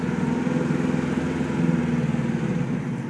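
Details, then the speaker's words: 1973 Saab 96 with four-speed manual and freewheel on its first drive, running slightly warm: engine drops to a low steady idle while coasting with road rumble; still in gear, clutch out, freewheel fully disengaged as designed. "hear it completely disengaged. I'm still in gear, clutch is out, and it's completely disengaged."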